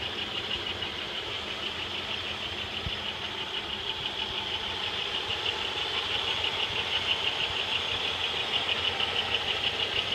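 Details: 1995 Pontiac Bonneville 3.8 L 3800 Series II V6, 115,000 miles, idle, serpentine belt removed: light regular ticking over thin high whine, unchanged without belt; power loss noted, compression and vacuum normal; source unknown.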